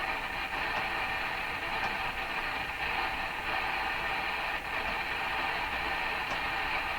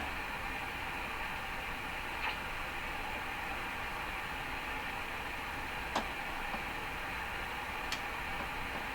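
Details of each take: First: Hammarlund SP-600 receiver after reconnecting a loose lead, on a garage-floor wire antenna near 17 MHz: steady strong station audio over light static, no crackling, dropouts or fading; reading 60 dB above one microvolt, reception restored. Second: Hammarlund SP-600 receiver on makeshift antenna, tuned above about 17 MHz: steady flat hiss, a couple faint ticks, no station; reception weakens at higher bands.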